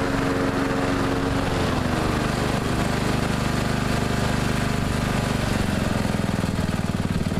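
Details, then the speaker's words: Neglected riding mower revived, spindles rebuilt with grade eight hardware, blades reinstalled: steady, even single-cylinder thrum holding speed while cutting, no misses, knocks or surging; running good and mowing evenly. "but it seems to be running good and mowing good it mows evenly I'm glad to see that the last one didn't"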